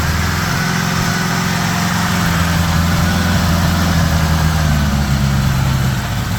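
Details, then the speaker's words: 1975 Honda GL1000 Gold Wing flat-four after water pump reinstallation with new gaskets and O-rings, choke on: steady smooth idle slightly high, no knocks, no coolant leak, much less smoke; normal idle. "That sounds pretty good right there. Idling a bit high, but the choke's still on. No leaking. Much less smoke."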